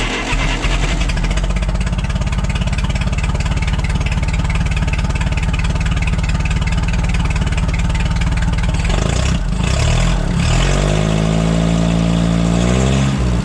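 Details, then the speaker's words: $200 forklift after a bad spark plug was found and replaced: loud, even rapid firing holding steady, then a short rev and settle, running smooth on all cylinders; normal idle after repair. "sounds like she runs a heck of a lot better let's take that wire away again and see what happens yep there we go boys and this is fixed is a bad plug"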